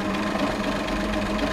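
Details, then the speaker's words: 1979 Chevrolet Caravan SS six-cylinder, first start after rebuild with new piston rings and worn crankshaft/camshaft timing gears addressed for front-engine noise and exhaust smoke: smooth, even, quiet mid-pitched hum with no knocks; normal running. "Que loucura cara muito silencioso"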